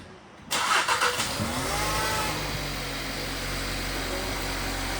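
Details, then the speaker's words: 2016 VW Jetta TSI after new engine air filter and cleaned intake cover: quick crank, catches within a second, brief flare, then smooth steady idle; before it idled rough and needed gas to stay running. Normal start and idle. "Wow, that started up and sounded perfect. It didn't sound like that before. I mean, it literally started up and just idled perfectly."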